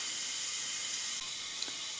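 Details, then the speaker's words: Cold 469 big-block Chevy dragster engine with standard rings, leakdown test at TDC compression, engine stopped: constant sharp hiss heard through the crankcase; this cylinder reads about 26–28% leakage versus about 10% on the others. "so you can hear that hear it coming up through the crank case so that's air leak that's just coming past the regular pistons you're going to have that on all of them"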